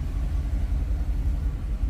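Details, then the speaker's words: 1975 Pontiac Grand LeMans V8, last on the road in 2002, started with key: deep, even low rumble with steady loping beat, no knocks or misses; idles smoothly. "see yeah pretty smooth yeah yeah"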